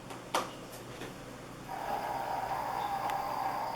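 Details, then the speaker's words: Lenovo Yoga 2 laptop cooling fan loud: a thin, steady mid-pitch whine rising after a quiet start. Worsens when folding into tent/sandboard mode; foam between fan helped only a week; fix is replacing the fan. "If you have a Lenovo Yoga 2, you may be one of the many people who are complaining that the fan is really loud. It makes this kind of a sound."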